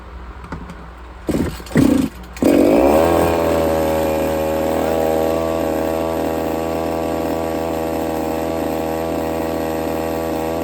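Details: Redcat Rampage XB RC car, Walbro 990 carburetor, low-speed needle one and a half turns out: a few pull-start tries, then fires and holds a smooth steady buzzing idle; properly tuned.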